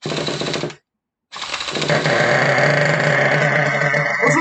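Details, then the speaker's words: Donated Traxxas T-Maxx nitro RC truck; raspy rapid buzzing that burbled into life with minimal starter effort, picks up cleanly; normal nitro engine running. "didn't sound too bad huh she burbled right into life with very very minimal effort"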